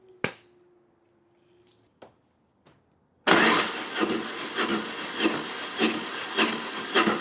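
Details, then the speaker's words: BMW GS motorcycle cranking with spark plug out before compression test: rhythmic, uneven, slightly offbeat chuffing without firing; low cylinder compression with tight valve clearances, later adjusted along with chain tensioner. "So hopefully you heard what sounds like it's slightly offbeat with compression."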